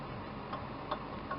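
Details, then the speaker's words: 2003 Dodge Dakota V6, towed in overheating and leaking coolant, serpentine belt removed: faint evenly spaced light knocks about two and a half per second from the water pump as it turns, the same knock heard at idle; worn pump bearing, fan wobbles. "you can see right there you kind of hear the knocking that's the noise we were hearing when the engine was idling"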